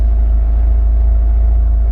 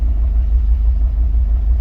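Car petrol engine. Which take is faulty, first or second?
second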